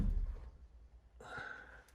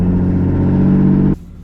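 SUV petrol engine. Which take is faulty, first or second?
second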